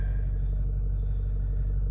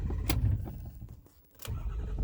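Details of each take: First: 2008 Ford F450 6.4 Power Stroke diesel with an intermittent starting and throttle-response problem: on this start, deep steady idle rumble with no stumble or knock; a normal start. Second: 2008 Ford F450 6.4 Power Stroke diesel, intermittent crank-no-start and no throttle response, worse cold but also hot, fuel filters replaced: low rumble surging and sagging between clicks and ticks, semi-running, then cranking without starting.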